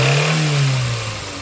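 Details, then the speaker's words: Nissan Sunny with the E16S engine, revved briefly after warm-up: rough knocking under the note as revs drop, a failed big end bearing after running with little oil; engine to be removed and the block replaced. "if this come and revs it a little bit we'll hear the problem straight away yeah that is the big end bear"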